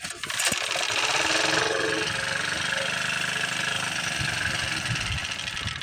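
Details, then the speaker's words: Predator generator with its carbon monoxide sensor bypass plugged in (it shut off without it): brief cranking, then catches and settles into a steady, even buzz with no misses or knocks; normal running after start. "Alright, there it is, started up."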